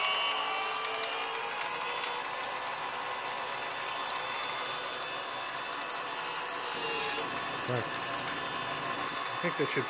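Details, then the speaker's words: DIY electric kick scooter with RC model parts, pulley, roller drive and two 5000 mAh 3-cell LiPos, servo-tester throttle: high motor whir with light irregular clicks from the plastic pulley, not the drive. "the clicking you can hear is the plastic pulley it's not part of the drive"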